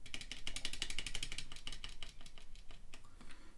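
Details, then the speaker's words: ZSA Moonlander keyboard, large triangular thumb key after a stabilizer rattle modification using tape: a fast run of soft, muted key clicks, about four a second, with no rattle or ping. A normal, well-damped press. "that's the sort of normal press."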